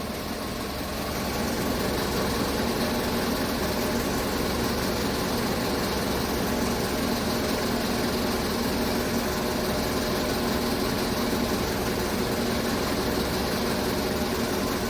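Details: 2015 Chevrolet Tahoe, engine previously overhauled (lifters, camshaft); returned misfire (P0300) after throttle body/air sensor cleaning and plug change. Lumpy, uneven stumbling idle; misfire moving between cylinders when swapping used plugs, faulty spark plugs.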